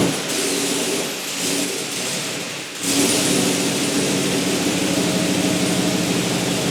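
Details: Turbocharged 1961 Chevy Apache pickup with LQ4 engine, first start on day 5 after fitting a junkyard throttle actuator controller: steady even note after a brief dip near three seconds, no stumble or hunting; running smoothly. Exhaust leak at V-band noted.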